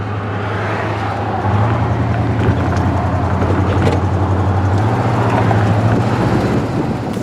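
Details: 1968 Cadillac DeVille V8 driving after a new 750 CFM Edelbrock 1411 carburetor replaced a poorly tuning Amazon carb: deep, even drone building smoothly under throttle over road noise, no hesitation; revs progressively, normal acceleration.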